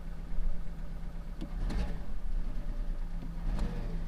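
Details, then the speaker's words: Pontiac Sunfire petrol engine with 194,000 miles and check engine light on idles rough: low drone stumbles and lurches unevenly with occasional surges rather than a steady beat; owner wonders if it's a V6, cause unknown. "Oh yeah, it runs like shit. It's really, just listen to that."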